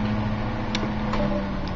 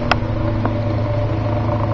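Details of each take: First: 1950s General Electric table fan that sat unused 20 years in a dusty garage; the owner says the motor spacers need restoration. Unplugged, it coasts down a long time with a smooth whir and no rubbing or grinding. Bearings sound healthy. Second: 1950s General Electric table fan, unused for 20 years in a dusty garage. A steady motor hum carries a buzzy rattle only when the fan is horizontal or facing up, quiet when pointed down. Owner suspects worn motor spacers.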